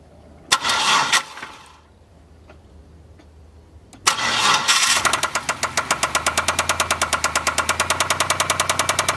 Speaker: basically that first noise that you're hearing is Rod Knock which is what happens when the crankshaft down